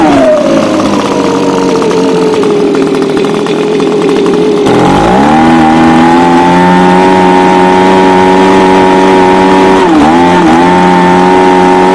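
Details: Echo ES250 (PB250-type) handheld blower two-stroke after throttle repair: buzzy note drops, climbs and holds steady with brief dips near ten seconds; runs smoothly, normal.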